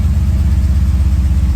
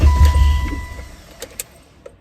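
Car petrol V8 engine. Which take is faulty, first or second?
second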